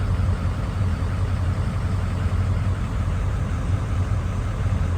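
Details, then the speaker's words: 2003 Ford Excursion 6.0 Powerstroke diesel idling after fuel filter/water separator housing service, light still on: deep steady diesel rumble, even and unchanging, no knocks or misses; normal healthy idle. "I may need to reset the system. Feels pretty good, sounds pretty good."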